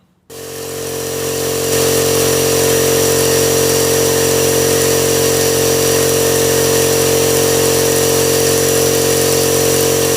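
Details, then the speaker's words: Husky 5-gallon air compressor that previously wouldn't cut off, after a pressure switch replacement: the motor spins up quickly, then holds a steady hum with an even pump beat of about three per second. Normal running, fixed. "oh yeah so that's fix cheap compressor got fixed and this is what it is five gallon"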